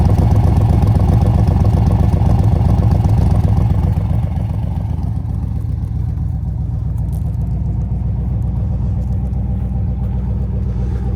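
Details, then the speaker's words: 1965 Chevrolet Corvette L76 convertible, 327 cu in 365 hp V8 with factory side exhaust, freshly body-off restored with under 30 miles, cold start after about two weeks sitting: deep, steady V8 burble at an even idle, no knocks or misses; normal idle. "Listen to that factory side exhaust."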